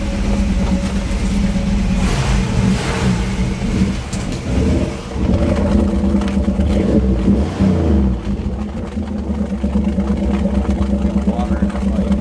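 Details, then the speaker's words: Crosley started after sitting: a lumpy idle with an uneven bubbling gurgle from water trapped in the exhaust pipes; a drain hole will be drilled in the pipes' low spot. "we'll let it run a little kind of sounds like one of those uh Criss crafts idling underwater all right I should be embarrassed letting sit down there water getting in"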